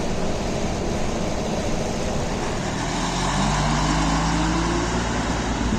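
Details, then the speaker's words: 1986 city bus in Pskov, likely a Hess, recorded inside the passenger cabin: steady, subdued diesel drone under the floor that rises smoothly as the bus pulls away; the engine runs quietly and normally. "Двигатель у него работает тихо, салон ухоженный, без дырок в полу,"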